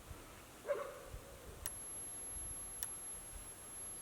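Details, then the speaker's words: Solar-powered DC electric fence charger with battery: two sharp ticks a little over a second apart over quiet background as it pulses electricity, with the light flashing; charger working normally. "So it'll go on, off, and that's what this is doing. You can hear it clicking when it's sending electricity through it."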